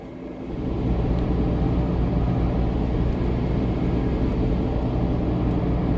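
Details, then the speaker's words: 2009 Saturn Vue driving straight on the road; steady low grinding rumble and growl from the front wheels under road noise; bad front wheel bearings, to be replaced. "so right now you just driving straight you can kind of hear a little bit of grinding a bad wheel bearing a sound like a real grindy noise"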